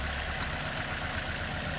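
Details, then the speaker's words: Toyota Corolla four-cylinder at idle, check engine light on, scanner reports cylinder 1 misfire: steady idle with slight uneven lope; unplugging cylinder 1 coil changes nothing while others nearly stall engine, confirming cylinder 1 dead. "então eu já sei aqui que de fato a informação se Confirma com Scanner no scanner está me dizendo que é o cilindro um que tá com falha de ignição"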